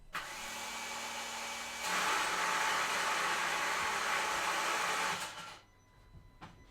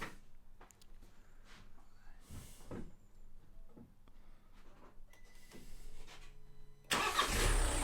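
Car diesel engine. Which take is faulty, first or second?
first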